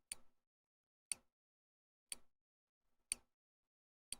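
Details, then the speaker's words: Pump pod priming; sharp, quiet clicks about once a second with silence between, advancing the plunger to prime the tube; normal priming. "because it goes click click click snap and then click click click so that the additional clicks after the snap are it advancing the plunger just a little bit in order to Prime the tube"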